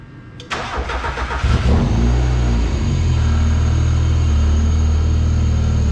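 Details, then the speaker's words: Miata track car on a RusEFI plug-and-play ECU with VVT swap, alternator unplugged: starter cranks briefly, then a steady even idle with no stumble; a clean start, though running rich and timing not yet synced. "i don't know if you can hear me but it's definitely running real rich"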